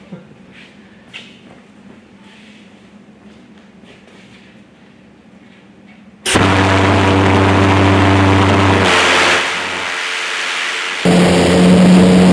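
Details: Twin Viper valveless pulsejet (two 50-pound-thrust engines) for a go-kart, run on diesel at full power inside the shop: sudden loud, steady roar with a hard low drone that holds, steps down and returns; making more power than expected.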